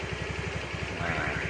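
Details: Carbureted Honda Beat scooter after repair of a worn, dropped starter gear that caused jingling: small single-cylinder idling with steady pulses and no jingling or rattling. Normal idle.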